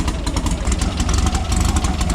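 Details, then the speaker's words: VW air-cooled flat-four dune car cold start after maintenance with new carburetor and spark plugs: even throbbing idle, all cylinders firing, much better than before; normal idle. "Hear them all firing too, it sounds good. You hear them all firing too, it sounds good. That sounds way better than it was before."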